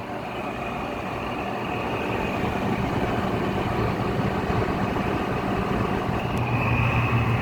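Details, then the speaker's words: Goldstar WG5004 window air conditioner on low fan: constant rough grinding drone under the airflow, building slightly; the fan motor bearings are noisy, though spin-down time is still good, so not completely dry. "See, without that grinding noise, it'd probably be really quiet, because you can't even really hear the fans that much."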